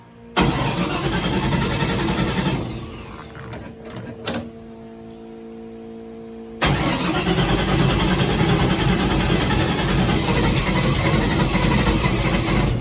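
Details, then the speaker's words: LS3 airboat V8 after replacing coil pack on a dead cylinder found by exhaust temps: fires, dies, then lumpy hunting idle; owner suspects a fouled plug, and an earlier backfire blew the valve cover gasket. "Not know why she ain't wanting to idle. Probably got a foul plug too, so I'm gonna do all the plugs in it."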